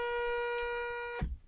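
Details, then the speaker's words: Sainsmart 3018 PRO CNC, axis sent across a tight spot with the current GRBL settings: a steady high stepper buzz that cuts off abruptly as the motor jams; stall because top speed or acceleration is set too high. "that's a perfect example because it's jamming from the start. Not planned, but let's run with it. So what we know now is that the top speed or the acceleration is a bit too high because there's a particular tight spot around that area."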